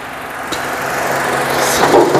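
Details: 2009 Honda CR-V third generation, K24 engine, automatic: even, steady idle with a smooth hum and no knocking or ticking from the bottom end; normal healthy idle.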